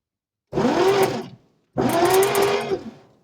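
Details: 1946 Chevy 3/4-ton parked since the early 70s, cranked with spark plugs removed after spraying lubricant into the cylinders: two short bursts of free, fast starter whir with no compression pulses.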